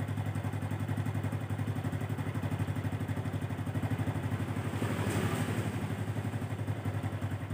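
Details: Honda Revo Absolute 110 motorcycle after clutch repair, oil refilled: steady, crisp low thumping idle about four beats a second with no clatter from the clutch side; normal idle.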